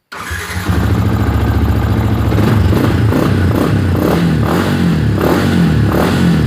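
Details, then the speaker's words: Fuel-injected motorcycle that stalled from a faulty BAS sensor, after jumpering black-blue to yellow-green wires (1K2 resistor): starts straight away, steady idle, clean throttle blips, no fault code; running normally. "Oke, stasionernya bagus, digeber pun tetap normal."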